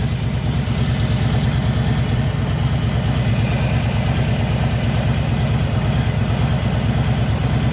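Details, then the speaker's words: 2021 Harley-Davidson Low Rider S (FXLRS) idles with a steady low lope and an even buzz riding over it, seemingly louder now; the dealer called it normal, but other owners say theirs doesn't buzz; cause unclear. "So you can't hear it because of the engine and the pipes, but it's a buzzing sound, and it's coming from in here."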